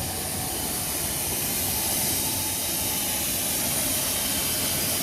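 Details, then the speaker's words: Bryan steam tractor at startup, gasoline pilot burner lit and boiler building pressure: steady, even rushing hiss with no knocks or surges, normal steam hiss while coming up to pressure. "our fuel on okay you can hear it hissing and now the pilot's lit"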